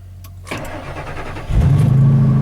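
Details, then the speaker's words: Truck that had trouble starting the day before, evening start after listening for the fuel pump to run: short quiet crank, then it catches with a rush and settles into a rough, uneven idle; hard start, cause unconfirmed. "Hopefully this one starts, because it's been having issues starting yesterday."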